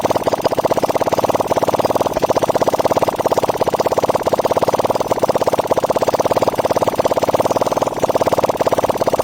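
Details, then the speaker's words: Hyosung GT250 V-twin in a trike build at idle: light, fast, even tick on each firing pulse, apparently from the front cylinder; owner suspects valve clearance needing adjustment. "Okay, it sounds like my front cylinder. I might need to adjust my valves. I hear there is a ticking sound in there."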